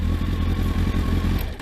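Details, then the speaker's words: Kawasaki ZX12R fully warmed up, revved: strong, smooth, clean rise and fall in pitch with no rattles or misses, sweet F1-like sound; normal revving. "Right, my ZX12's fully warmed up. Lovely and sweet is that. Sounds like a bit like an F1 engine, to be honest with you, like that."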